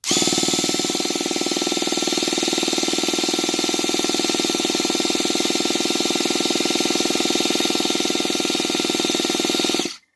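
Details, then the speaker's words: Traxxas T-Maxx 2.5 RC nitro truck being revived, electric starter bench-tested after hookup, first spinning the wrong rotation: smooth, even high-pitched electric whir for ten seconds, then a clean cutoff; starter running normally. "So now that just obviously is the wrong rotation. That sounds pretty good to me."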